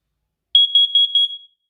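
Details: First Alert carbon monoxide detector tested after a battery change: shrill high-pitched alarm chirps rapidly for about a second, then fades; the sounder works normally.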